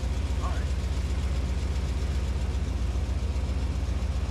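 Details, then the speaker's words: 1981 Corvette V8 idles with a deep, loping pulse plus exhaust puffing and ticking while the rebuilt power valve is being adjusted; the owner hears an exhaust leak. "definitely have an exhaust leak I can hear that"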